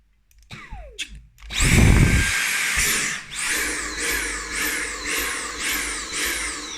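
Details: Dyson V8 Animal cordless vacuum: click of the sensitive trigger micro switch, then a high motor whine spinning up and settling into a steady rhythmic surge; the motor runs normally.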